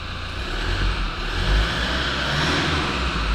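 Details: Toyota Land Cruiser Prado 1KD-FTV turbo diesel after engine rebuild and turbo installation: deep, even diesel note climbs cleanly and settles with no whistle or flutter; revving normally.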